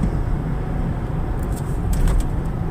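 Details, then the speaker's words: 2004 Ford Explorer cruising at about 40 mph after replacing a rear wheel bearing that had been constantly roaring: only even low road rumble with no growl or hum; the new bearing sounds quiet. "Alright folks, we're cruising right along, and let me just say, what a difference. This thing is so quiet now."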